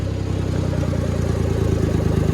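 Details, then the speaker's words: Suzuki Carry DA62T mini truck with a timing-chain, 40 cubic inch, 50 hp engine, fired right up: quick regular pulses steadying into a smooth, even idle with no knocks or misses; runs healthy. "You can see she fired right up. Takes a second, she'll idle down."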